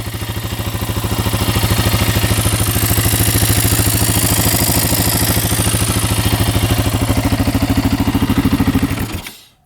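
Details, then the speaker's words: Yamaha Raptor 660 quad after repairs, restarted instantly with no leaks; even, steady single-cylinder thump about three firings a second with no ticking or clatter until shut-off, a healthy idle. "Yeah, it's running great. I cannot believe this thing was 600 bucks and nothing is wrong with it."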